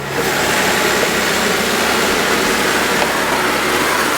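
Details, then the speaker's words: Fire engine parked in neutral with park brake set, pump engaged and then drive selected: engine note changes slightly then holds a steady, even run under a constant airy rush, no knocks or surging; normal running with pump engaged. "listen to the motor it'll change a little bit and that'll help you hear that it is engaging"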